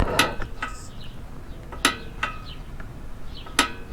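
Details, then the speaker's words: Lectric XP 3.0 e-bike stock brake caliper with the inner right pad backed out and only the outer pad adjusted. Squeezing the lever gives sharp pops and pings as the piston suddenly loses pressure and backs off the disc. "that pop is indicating that the Piston is losing pressure quickly backing off of the of the disc"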